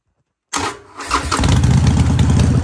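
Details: Harley-Davidson Sportster at its 5,000-mile (8,000 km) service, just after a primary oil change: starter whirs, the twin catches at once and settles into a steady, even, loping idle with no knocks or rattles; normal idle.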